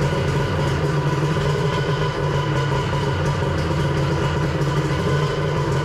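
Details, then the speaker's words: Engine of a 1100 rebuilt and fitted with a Zeeltronic CDI and a different stator, on test after reassembly: steady, even idle with a constant low drone, sounding better than before. "well I'm not sure if you guys can pick up on that but it definitely sounds better when I'm running it with the zeotronics and the other stator"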